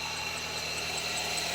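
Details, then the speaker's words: Old car bought used, at about 2800 m altitude, engine cover open: shrill high-pitched squeal with repeating chirps over running engine, loudness varying, smoke seen there the previous day at ignition; engine bay squeal, owner suspects belt, cause unconfirmed. "这个车吱吱吱叫，异响特别严重，不知道什么问题。"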